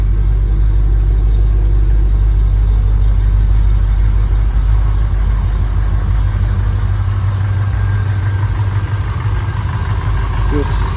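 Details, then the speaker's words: Chevrolet C10 with a Holley Sniper EFI, after the ignition timing was reset to cure a misfire and backfire: the engine revs smoothly with a strong, steady low rumble and no stumble or missing beats. Normal revving, fixed. "Give it a little crank. Good to go. So, yeah, that fixed it."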